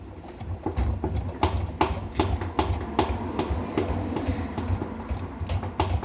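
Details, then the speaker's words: Samsung washer-dryer that is very noisy during spin, drum rocked by hand with the door open: irregular hollow low thuds, two or three a second; worn drum shock absorbers, fix is replacing them. "Se fizer esse barulho, com certeza são os amortecedores que estão com problema."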